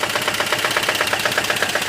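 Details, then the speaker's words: GAZ Volga ZMZ-402 petrol engine idles with a hard, sharp knock about eight times a second; oil pressure normal, strong vibration into gearbox, knock grows with rpm and under load; source not located. "В общем подозрительный стук в Волге давление масла в норме какой-то стук идёт отдаёт сильная вибрация в коробку"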